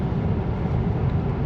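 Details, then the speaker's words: Tesla on the motorway at about 134–135 km/h on autopilot: steady low roar of rushing air louder than tyre and running-gear noise; excessive wind noise, owner suspects it comes from around the mirrors. "Și observ că de la viteza asta pentru mine crește disconfortul ăsta acustic. Deci de aici se aude vântul. Vântul se aude mai tare decât trenul de rulare și cred că undeva din dreptul oglinzilor vine sunetul."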